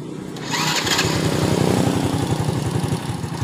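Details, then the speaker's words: Honda Supra Fit motorcycle, before repair: starts and idles but dies when throttle is opened; lumpy, uneven idle of about four pulses a second that sounds ready to die. "masalahnya motor ini tidak mau di gaspol jadi saat dihidupkan ini motornya hidup langsam tetapi tidak mau di gas jika di gas ini motornya akan mati ya"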